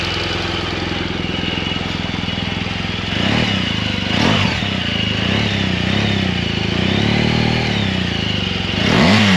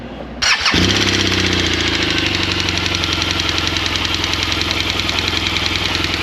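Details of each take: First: Comparison BMW R1200 boxer at start: a brief tick-tick from the decompression lever changes and fades, then settles into light, even top-end ticking with a few revs. Normal valve-train noise. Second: 2016 BMW R1200 GSA boxer, right after startup at idle: loud sharp metallic tapping at a fast steady beat; worn groove in intake cam lobe shortening intake valve travel, rocker arm failure.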